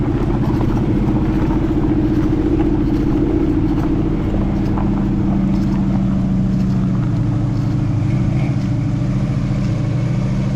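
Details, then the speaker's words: 1968 Ford F250 "Ole Red", Ford 360 FE V8, driving with no hood: deep, steady V8 rumble holding an even beat, no knocks or misfires; running a whole lot better. "tell you what y'all she's running a whole lot better oh man"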